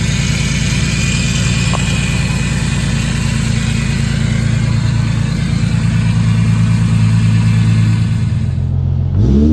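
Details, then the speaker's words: Infiniti G37 after new serpentine belt, replaced power steering return line and new CZP power steering cooler: smooth steady engine drone under light throttle with faint intake hiss, no squeal, whine or knock; sounds normal. "everything feels fine it feels normal but there's just a slow-ass car right there you can hear my intakes it sounds pretty cool a little hiss"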